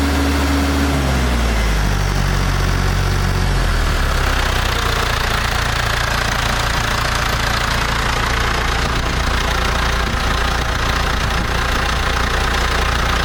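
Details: International Harvester TD-7 Series C bulldozer after rebuilding its Bosch VA4 diesel injection pump and fitting a new battery: catches within seconds into a steady, even diesel clatter at idle, no leaks, no misfire or hunting; normal diesel idle.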